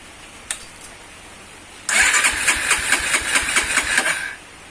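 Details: Motorcycle (Tiger/MP/GL/CB type) after valve clearance adjustment at TDC: engine catches quickly and runs with even, regular firing pulses, no valve tapping from the head; clearance now correct.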